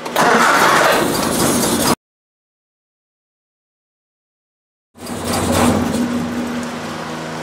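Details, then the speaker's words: 1966 Triumph Spitfire 1147cc, rebuilt engine; timing checked and right at TDC on cylinder 1. Idles fairly fine, but with a little throttle it runs uneven and lumpy with a tapping noise; cause unknown. Rough running. "all right so here it is idling relatively fine as soon as I put a little big ass to it really starts then you can hear it you hear that tapping it"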